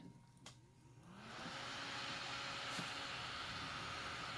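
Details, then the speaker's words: Small AC brushless electronic box fan, about thirty cubic feet per minute; spins up over about a second into a steady, even airy whoosh with a faint hum, no rattles, quiet and running normally. "about thirty cubic feet of air a minute it's really not particularly great out of one of these but just like a normal quiet but yet effective Finn"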